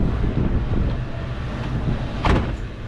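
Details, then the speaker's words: 2003 Ford Mustang GT V8 idling after replacing a throwout bearing that failed within 4k miles, with new clutch and MagnaFlow exhaust: deep, steady idle, no more rattle underneath, one brief sharp noise near the end; normal idle. "now she's idling so smooth there's no rattle on the bottom hell yeah hella worth it"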